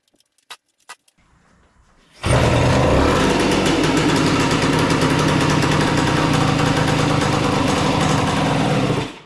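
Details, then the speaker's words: 1976 Suzuki TS185 two-stroke, sat for years: after quiet clicks it catches and runs a rough, popping idle near four beats a second, as if starving; owner unsure if flooding or a sticking float, suspects the carburetor needs cleaning. "all right I need to give it more idle are we flooding or is the float sticking we don't know"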